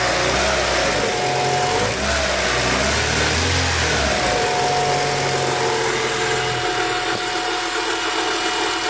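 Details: 2003 Honda Civic idling: a steady hiss with a thin whistle over it, likened to radio-frequency noise. Vacuum leak from a punctured brake booster diaphragm; the timing belt is also noisy, more so when hot.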